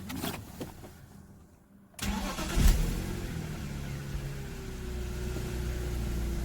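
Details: BMW E46 after a new 120 A alternator, new belt tensioner and pulley were fitted to cure an engine-bay noise: it cranks, catches and settles into a smooth, even idle with no squeal or rattle. The problem is solved.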